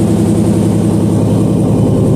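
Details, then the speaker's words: Engine idling steadily and smoothly with a deep, even burble and no misses, knocks or stumbles, after a loose ground was reconnected and the fuel pump restored; 68 Charger AWD body swap; normal idle. "always those stupid grounds that get you let's get this thing outside"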